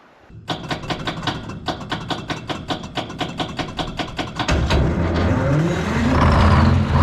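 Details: Abandoned twin-turbo Detroit Diesel 12V71 generator, first start attempt: regular chuffs about two a second while cranking, then catches into a steady, even diesel run with no fan rattle; normal idle.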